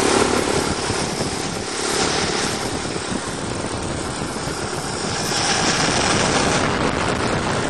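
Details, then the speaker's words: 427 big-block V8 dump truck, just started after months sitting, choke now open: deep, even steady idle, no misses or knocks, Bendix brake air pump hissing above; no blowby, normal idle. "open oh I love the sound of a big block in the morning"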